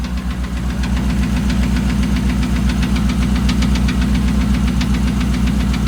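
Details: 2008 Dodge Ram 1500 5.7 Hemi at idle: sharp, fairly regular knock about 2.5 per second over the engine. Five mechanics couldn't identify it and suggested a new engine; cause unknown.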